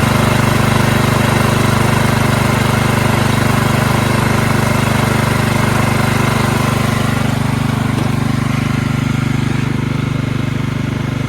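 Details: Small engine on belt-drive hauler after fixing carburetor flooding from a non-seating needle (gas out the muffler): steady, even drone at full throttle, no stumbling or surging; healthy, no fuel leaks.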